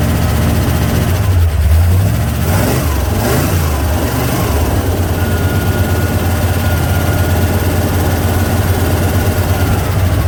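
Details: 1968 Corvette, slightly modified V8, after stripped distributor drive gear knocked ignition out of time, started with choke unhooked using accelerator pump: catches after brief cranking and settles into a steady, even idle; running decent.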